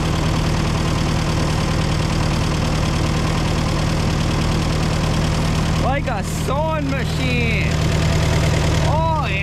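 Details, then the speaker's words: Old CO-OP E3 tractor (possibly 1947), four-cylinder LP engine with many hours and live hydraulics, first start on a fresh battery after sitting abandoned for years. Smooth, even low idle with a steady beat, no knocks or misses; runs healthy. "sounds good runs good pumpkin hydraulics thanks we're gonna go unload it"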